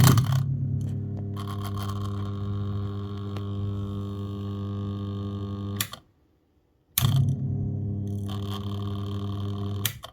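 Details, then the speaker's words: Washing machine drain pump removed from the machine and run live on the bench: a steady low electric hum with a buzzy edge that stops and restarts. It is noisy and not right, which caused the machine's problems emptying water. "you can hear how noisy that is that's not right see that's why I had problems with empty water"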